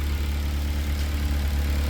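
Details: K24-swapped Mazda RX8 with full 3-inch exhaust, just fired up in neutral: deep, steady low rumble with even pulses, no knocks or misses; loud but healthy normal idle.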